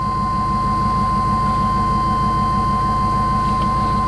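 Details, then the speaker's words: 1999 Chevrolet Tahoe V8 with a P1345 code, after a new distributor cap and rotor (a new crank sensor hadn't fixed it): a steady, even low idle beat with no misses or knocks. Before the repair it wouldn't stay running. "a listen to that you would never know that 35 minutes ago this thing wouldn't even stay running"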